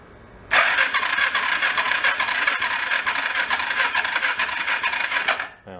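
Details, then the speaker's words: Long-unused rat rod four-stroke quad cranking during a compression test: quick, even churn for about five seconds, no firing, soft strokes; compression only about 45 psi, owner suspects a tight valve adjustment, unconfirmed. "not too good it's like 45 I think it's got decompression valve in it but I don't think it's activated automatically"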